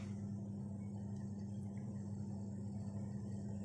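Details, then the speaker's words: Haier gas boiler fan noisy/whistling at startup, heard as a constant low hum and steady drone; boiler cuts out with error E3, retries, then shuts down with error 5; fan cover found bent. "так в общем проблем какая это hair и при запуске шумит вентилятор"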